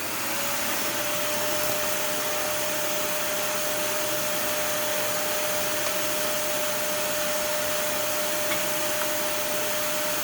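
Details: Dyson DC41 after brushroll cleaning: steady, even motor roar with clean high whine, no rattles or labouring; power head previously made no noise at all, now running smoothly.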